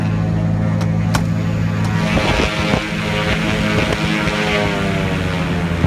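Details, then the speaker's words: Aircraft N3318Q, engine #2 piston engine after cowl check and run-up, recorded without the intercom mic just before shutdown: steady deep drone with even firing pulses and no knocks or grinding; normal running, no leaks found. "I'm going to pull the microphone cord out for a second, let you hear the noise of the engine before I turn it off."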